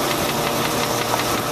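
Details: Land Rover 4.6 V8 at idle with steady, rapid metallic knocking in time with the engine; suspected bad rod bearing, collapsed piston skirt or bad lifter, not confirmed.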